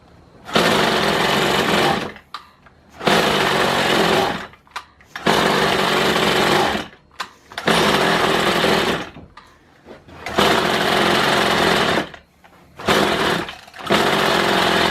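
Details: Kawasaki hedge trimmer two-stroke after the piston ring replacement, revving up to full speed in repeated bursts and dropping back, pulling strongly and evenly; normal running.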